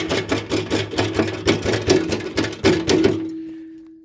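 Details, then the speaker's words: Hedge cutter head running with a quick, fairly regular metallic rattle at about three knocks a second, then a fading hum; a loose bolt that won't tighten and a loose hood hinge are suspected as rattle sources. "We'll just well, if you listen to this, it doesn't sound overly healthy."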